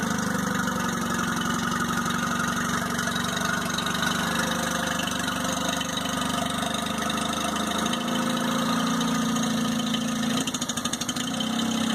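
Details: 2002 Mercury 15hp four-stroke outboard, first start of the year after storage and a lower-unit fluid change, on earmuffs in neutral while warming up: a steady, even idle with a smooth mid-pitched hum, no knocks or misses. Normal, healthy idle.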